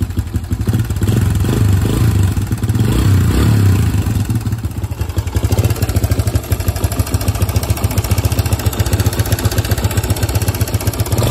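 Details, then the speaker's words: 2005 Suzuki DR-Z125 air-cooled four-stroke dirt bike idling lumpily, with loud uneven metallic top-end clatter and a couple of blips. The owner suspects the timing chain and cam chain tensioner; the bike starts first kick, runs, and doesn't smoke. "I just shut it off but I said hopefully you guys heard that clattering noise I was telling you about"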